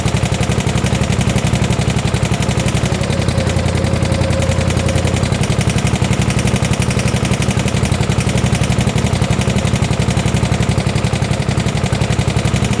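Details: 1972 Gravely 816 tractor with Kohler Command 18 engine, just started after cutting the carb end: hard regular knocking about four per second under the running engine; rod knock, motor considered blown up; power steering not working.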